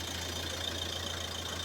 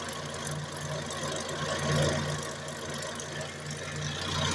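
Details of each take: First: Front left wheel spun alone by the drivetrain after a new tie rod and tie rod end were fitted: a steady low engine hum with a light hiss and no howl or growl, so the wheel bearing sounds healthy. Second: Car with front left wheel locked at the differential and drive switched to the front right wheel, phone held close: a steady low howl over the running engine from the worn front right wheel bearing.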